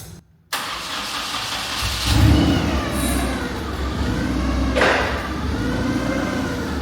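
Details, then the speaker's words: Clark forklift after repair and refresh: short crank, fires immediately and settles into smooth steady idle with a couple of light revs; normal start and idle. "I'm going to adjust my tilt steering to where I want it. I'm going to fire it up."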